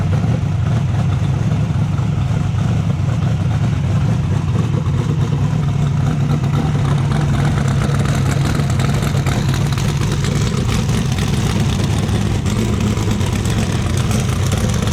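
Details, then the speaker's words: 434 cubic inch Chev twin-turbo methanol V8 jet sprint boat, rebuilt with new crankshaft and rods after a failure wrecked both turbos: deep, steady fast idle, no knocking or ticking; normal running after repair. "I woke up to the sound of it running which was which was a good sound so the we had a bit of a disaster but we've sorted that out"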